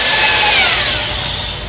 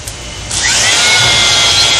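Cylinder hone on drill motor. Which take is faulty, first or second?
first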